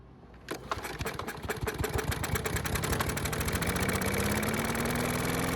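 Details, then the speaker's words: Mower that wouldn't start after winter, primed with fresh gasoline: fires after a couple of pulls, then holds a quick, even single-cylinder putter and keeps running without dying. "And with that bit of fresh gasoline, we were able to get it to start and it kept running."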